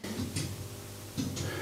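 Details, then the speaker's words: Schaublin lathe with Mahou gearbox, after e-stop: sharp paired clicks about once a second in a quiet shop; gearbox shift relays cycling but gear not changing, suspected stuck between gears. "those the gearbox relays now the gearbox isn't changing i haven't had that before"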